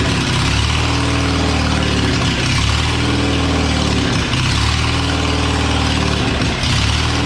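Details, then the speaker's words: Old abandoned Spider forklift with no exhaust, running after carburetor cleaning and on a jumper battery. It holds a rough idle that sags and recovers every couple of seconds, not running right. "oh and it's not running quite right"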